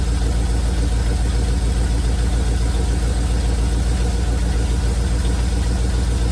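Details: 1971 Chevrolet C40 truck after carb cleaning: steady low idle rumble with regular firing pulses, no misses; running really well, blow-by minimal.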